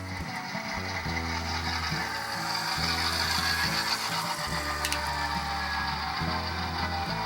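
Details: HO scale Bachmann Sound Value F7B on a final test run after both gearbox assemblies and trucks were replaced: steady small-motor hum with a fine, even gear ratchet through the number 4 switches, no stalls or catches. The old universal joint was found cracked. Healthy gear drive.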